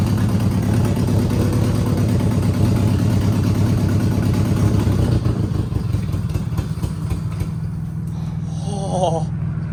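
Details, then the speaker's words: Abandoned Subaru 2.5 RS, sat almost 20 years, first start with straight open headers and no exhaust: very loud, raw idle with a fast even chuff and no knocking; engine runs fine. "Dude, the Subaru engines are so loud without their caps on there. Like, this is just straight open headers."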